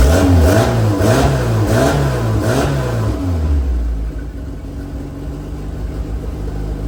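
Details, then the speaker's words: 1980 Porsche 911 with swapped Mitsubishi Evo 8 4G63 engine: fires up cleanly, a few crisp deep throttle blips, then a smooth steady idle with no misses or knocks; normal start and rev. "Sounds badass. Badass. Oh God. Ha ha ha. That is a phenomenal sound. I love it."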